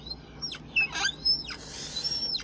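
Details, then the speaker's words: Camel mount arm rest: sharp, high squeaks rise and fall as weight is put on the arm. The pivot joint squeaks under load, and a dry joint is suspected. "one place here, the joint itself is making a sound right now. Can you hear me? squeak squeak"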